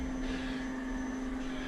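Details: Electric fuel pump in race car after failed dyno (Hellcat pump drew ~18 A, tripping AIM PDM), running flat out on rewired PDM channel 2, under 15 A; steady even mid-pitch hum, no surging or rattle: normal fuel pump operation.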